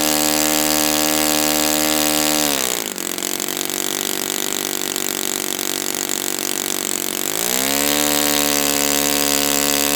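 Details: Brand-new Saito FA-100T twin, final break-in run, restarted still warm without priming or choke; crisp even buzz dips and climbs back cleanly with throttle, no sag or misfire. Normal running, called spectacular.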